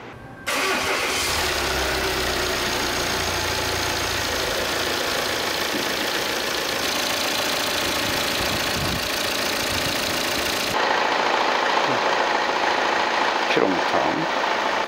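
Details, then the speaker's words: 2018 Volvo XC90, 137,292 km, after replacing the timing belt and off-centre crankshaft damper pulley: engine starts and settles into an even, quiet idle with no knocking or clatter; noise gone. "시동 한번 걸고 한번 엔진소리를 확인하고 이제 거의 막바지에요 다 됐으니까"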